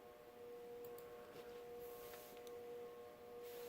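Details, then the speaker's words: FASCO Olde South ceiling fan, model 950, tested on its original speeds with a capacitor test rig. On low it gives a steady, mid-pitched electrical hum that is excessively noisy, and the hum quiets on high. "that's just too noisy yeah it quiets down when I reach high"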